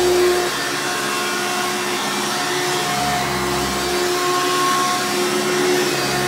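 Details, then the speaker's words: Hoover Runabout Deluxe U5064-930 upright vacuum (2000), motor rebuilt after dry, seized bearings; loud, steady high-pitched scream with even hum underneath, no grinding or rattle: normal running after rebuild. "let's go ahead and turn this thing on and we'll demo it for you guys so you can hear it knowledge screaming overly loud hoover glory"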